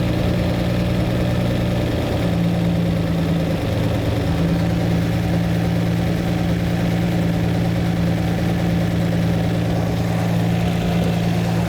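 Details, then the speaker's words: Lamborghini V12 being tuned, all cylinders balanced: steady, even idle with a deep, unchanging rumble and no misses, but the mixture is far too rich, roughly 6 or 7 to 1 instead of 14 to 1. "so now what I'm going to do is actually the ratio between air and petrol I was talking about there is too much fuel going in for the air so it's not 14 to1 it's maybe 6 to1 or 7 to1"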